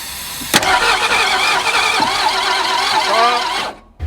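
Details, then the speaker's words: 1961 Ford Falcon abandoned 15 years, gear oil put in the cylinders overnight to build compression: starter churns unevenly about three seconds with no firing; cranks but won't start, suspected lost compression. "we have reapplied gear oil to the cylinders to build compression because i think it just lost compression again"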